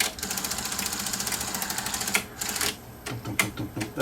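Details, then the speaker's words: Sony SL-HF900 SuperBeta VCR, previously serviced elsewhere, noisy when loading and unloading: fast, even chatter, then heavy irregular thumps from the black plastic gear under the transport, not yet broken or slipping. "it's the plastic gear on the bottom it's not broken but it's the black gear underneath here it's making the thuing sound"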